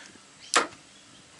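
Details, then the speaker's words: BA Falcon automatic, hard to get in and out of park, upper shifter linkage found detached, recorded underneath: a sharp metallic clunk as it goes into park, then a lighter knock; noise seems to come from the gearbox, probable parking pawl failure. "sounds loud but it's only going in a park"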